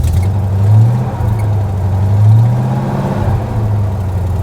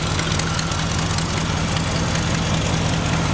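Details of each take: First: 1992 Ford Ranger with a 5.0L 302 V8 swap, 94,000 miles, idling at an auction: a deep, even V8 rumble swells with two quick throttle blips and settles back, with no knocks or misses; it sounds healthy, though the throttle is stiff. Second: 1992 Ford Ranger with 302 5.0L V8 swap, 94,000 miles, revving and idling: lumpy V8 rumble with sharp uneven ticking puffs on top; exhaust header leak, possibly several, runs well otherwise.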